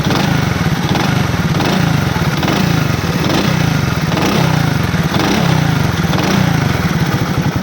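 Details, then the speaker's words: Single-cylinder motorcycle after the loose magneto was tightened, no engine opening: steady, even running beat with no knock coming through; the earlier engine noise has gone quiet, sounds healthy. "लेकिन आपके सामने सिर्फ मैग्नेट ही ढीला था जिसको हमने टाइट किया है, इंजन की आवाज़ खामोश हो गई है।"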